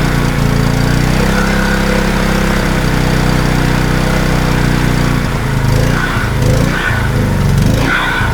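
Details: Wacker Neuson GP2500 2500W generator, Honda GX160 engine, hard to start, reportedly ran only on starting fluid: steady buzz at part choke, then hunting and wavering after about five seconds; lean running from a carburetor fault suspected.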